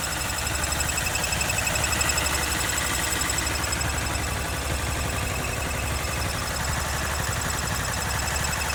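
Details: 2013 Honda CBR 250R ABS single-cylinder, 6 months old, 2500 km, one week after 2nd service with Honda synthetic oil change. Light fast metallic rattle over the thump, from engine/gearbox even at idle; service center can't find the cause.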